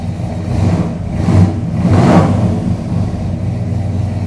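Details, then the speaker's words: 1973 Chrysler Newport Custom 400 big-block, carbureted, warming up after three months sitting: deep V8 burble swelling smoothly on two blips and settling evenly, with good vacuum and AFR; healthy revving, slight ticking noted afterward. "here she sounds mean numbers look pretty good"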